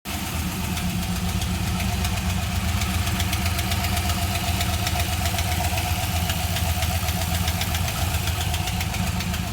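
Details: LS1 V8 idling steadily with a light, quick ticking or clacking over the deep engine rumble; engine ticking at idle.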